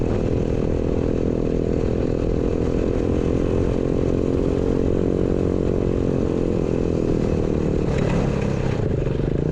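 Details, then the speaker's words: Chopper with a new 125cc 4-speed single and reworked exhaust, being ridden: pulls steadily under load with a smooth, even exhaust note rising with revs, healthy and way better than before. "yeah it sounds awesome way better sounds good guys it's got a nice little St to it yeah I'm happy with that way better"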